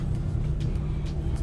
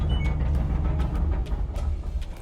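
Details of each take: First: LG dryer model DLE4801W after replacing one bad drum wheel that caused loud rumbling and tumbling: steady low hum of the drum turning smoothly, no rattling, thumping or scraping. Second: LG dryer, model DLE4801W, running: a heavy low rumble with irregular knocks and thumps, a loud tumbling noise. Teardown found one bad drum support wheel, which was replaced.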